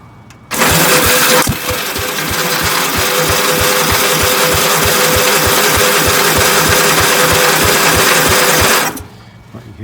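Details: 1965 Gravely L8 walk-behind tractor, first start attempt after storage, choke on, starter fluid used, weak battery rig: steady cranking about three beats a second for eight seconds with a few weak pops, no catch. Cranking without starting.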